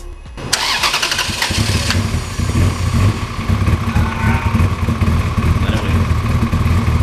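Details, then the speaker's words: Ferrari 360 Spider, near-empty fuel: cranks, catches, then runs rough and lumpy with an uneven stumbling beat; only about 5–6 cylinders working. Severe misfire, suspected more than a misfire. "There's some cylinders working. I'm going to say it's about 5 to 6 cylinders."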